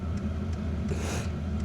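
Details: Diesel heater installed in a house, intake and exhaust run through a window, warming up after flooding earlier and smoking: low, even rumble with soft steady hum and faint ticking, no misfire or surging; burning and running normally.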